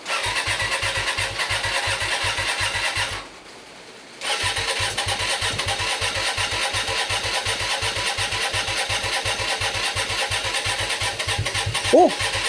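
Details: Hyosung GT125RC, first start in 2 years after ultrasonic carb cleaning and wiring changes, on choke: steady starter chug about three per second, pause, more cranking, brief catch; firing on what seems only one cylinder.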